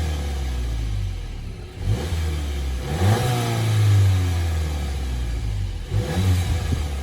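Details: VW Jetta GLI MK7, owned about a year, stock factory exhaust: smooth low exhaust note rising cleanly through a few quick revs and settling, no ticks or knocks; normal healthy engine, owner dislikes how quiet it is.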